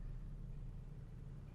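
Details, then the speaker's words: Nissan Xterra after a Z1 Off Road 75mm throttle body install and a throttle relearn done with a scan tool: low, quiet, even rumble with no surging or hunting; the idle has settled much lower and is normal. "All right, it's adjusting. And that's it. It's done. And it's done. Now it's idling much lower."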